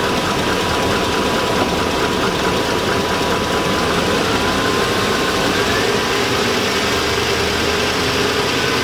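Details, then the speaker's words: 2002 Chevy Avalanche 5.3L at idle to just over 2,000 rpm. A dull repeating knock from the bottom end, near the oil pan, gets louder with rpm, is audible in the cab and is worsening; the owner suspects rod knock. Engine knock. "yeah that's Rob knock who can hear it the hybrid rpms go the louder it gets"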